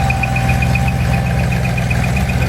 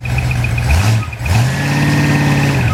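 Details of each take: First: Ford 390 FE big block on a test run with reconditioned bottom end, C4AE 4V heads and 2V manifold, not yet run in. Smooth, even V8 idle with a steady beat and a light whine, possibly from the alternator or water pump; healthy. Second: Ford 390 FE big block from a 1965 Galaxie: reconditioned bottom end, C4AE 4V heads, 2V manifold, on a test stand before run-in. Big V8 idling and revving runs beautifully, but a thin high chirp keeps pace with engine speed; suspected alternator or water pump.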